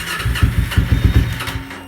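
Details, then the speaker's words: Kawasaki Ninja 250R, ice-cold start with low fuel after new fuel pump fitted: about six quick cranking chuffs, no firing; crank no start, owner thinks new pump just needs to prime a couple of times. "What is happening? You can hear my little fuel pump running. It's the new fuel pump. Probably just needs to prime a couple of times."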